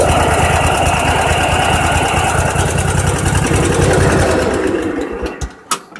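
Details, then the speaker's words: Craftsman riding mower single-cylinder engine with a 4-pole solenoid, extra wire grounded, seat safety unplugged: fires up cold and settles into a quick, even beat of about 214 a minute, then winds down cleanly; normal cold start and running. "So I'm just going to quickly demonstrate. This will be a cold start."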